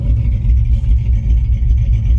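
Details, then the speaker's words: Truck with a Holley 600 cfm carb just swapped in place of a 650, idle around 650–700 rpm: deep choppy cammed lope at the exhaust, seeming lopier since the carb swap; no knocks or misses. "it just seemed to cam a little bit more at the exhaust pipe since i put this carburetor back on"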